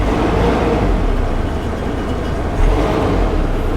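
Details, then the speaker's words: Cheap used Nissan Navara diesel pickup: a steady, even, low diesel drone with no knocks or misses, though a slight rattle, perhaps a heat shield, is suspected; the engine sounds healthy. "Sounds like there's a slight rattle on something, some sort of heat shield perhaps, or... Sounds quite sweet though, the engine."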